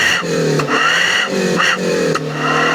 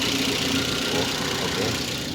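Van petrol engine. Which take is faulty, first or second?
first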